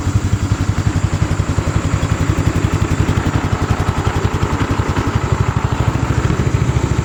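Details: Golf cart after a small single-cylinder engine swap, started by pull rope: sharp, steady putter at a fast even beat with no stumbles or knocking; idling cleanly and healthy.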